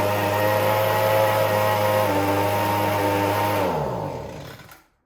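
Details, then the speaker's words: Echo ES-210 handheld leaf blower, about 15–20 years old: engine hunts from top RPM down to almost stalling and back up; fuel delivery problem suspected, gummed-up carburetor probably due for a rebuild kit. "o from top RPM all the way down to almost dying and then back up. So immediately in my head, I'm thinking fuel delivery issue."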